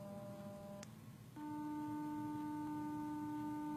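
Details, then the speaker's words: Samsung Galaxy S4 hidden service menu (*#0*#) low-frequency earpiece test, camera near phone: faint hiss then clean steady low tone holding evenly; earpiece working properly. "Now this tests the frequency of sound coming through the earpiece that we have here. So as the camera is slightly closer to the device, hopefully you can hear this."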